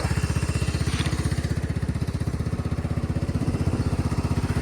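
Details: 1999 Cub Cadet HDS 2135 riding mower after cold start: steady even putter about three firings a second, no misses or knocks, smooth idle; owner says it purrs, normal.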